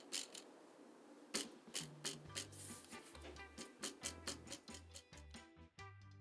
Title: Rattling Di2 levers fixed in 60 seconds (After that I can't shut up for 5 minutes)